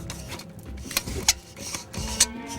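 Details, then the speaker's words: Heavily used 28-70 zoom lens turned through its range: a dry rasping scrape with small irregular clicks, noisy from wear but still working. "Probably the most common lens that I use, my 28-70. It's a beautiful zoom. This one's a bit noisy, listen to"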